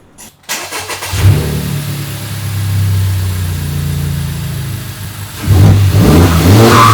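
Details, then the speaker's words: Totaled Honda Civic Type R being revived, engine at operating temperature, heard from outside: starts, settles to steady idle, then revs cleanly with audible turbo spin and no knock or rattle; normal engine revving. "You can hear the turbo spinning. Sounds good."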